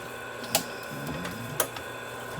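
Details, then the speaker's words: MITS Altair 8800, first power-up after moving boards to the 12-slot MITS backplane, booting from floppy: sharp head-seek clicks about a second apart over soft spindle whir; normal drive, machine boots. "And I can already tell by the sound the floppy is making the machine's booting. And the machine is booted."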